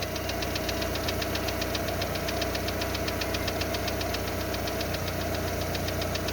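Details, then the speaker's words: Lada Largus with 1.6 16-valve 129 engine, about three minutes after cold start, ticking persisting after hydraulic lifter replacement: rapid even tick, about 2.5 per second, quietening as it warms, over loud raspy exhaust from a torn flex pipe. "Это еще двигатель громко работает из-за того, что гофра порванная."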